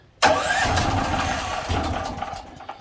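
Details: DuroMax portable generator on propane (LP), no load, tried with and without choke: catches with a sharp burst, runs ragged for a couple of seconds, then stumbles and dies; cause not confirmed.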